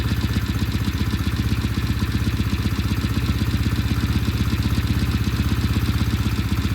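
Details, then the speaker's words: Restored vintage British motorcycle, first start in shop after completion, cold: comes to life into a crisp, evenly spaced firing beat at steady idle, no misfires or knocks; normal running. "that is coming to life it's alive it's alive all right we're going to let this sit here and warm up then we'll take it outside"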